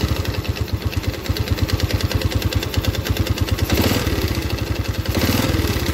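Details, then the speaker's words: Yamaha Vega R new four-stroke with a ticking, rough engine and thick exhaust smoke, idling before any throttle: loud, choppy idle with hard ticking about three per second and uneven firing. Piston is to be replaced. "oke teman-teman suaranya seperti ini ya keras sekali dan kita lihat di bagian knalpot"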